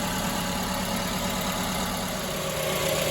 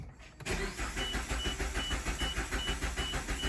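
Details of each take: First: Multi-cylinder petrol car idling with one dead cylinder: uneven, stumbling, loping idle and the engine shaking hard: dead cylinder misfire. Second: Multicylinder petrol engine with a dead misfire, cranked in clear flood mode: starter turns at a steady even beat without firing, suggesting compression is not the problem.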